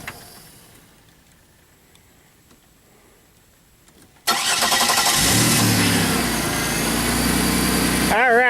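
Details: 2001 Pontiac Bonneville with a misfire and check engine light, restarted: quiet, then the starter catches and it settles into a steady, even idle without stumbling.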